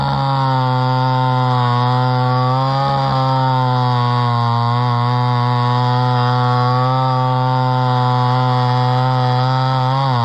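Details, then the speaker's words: Homelite Super XL chainsaw bought at auction, at least about 50 years old, unknown when it last ran, started at about half choke; strong steady high two-stroke buzz sags slightly as the slightly dull chain cuts wood, then recovers; healthy. "works pretty good the Chain's a little bit doll but what can you expect from a old saw that's pretty good run"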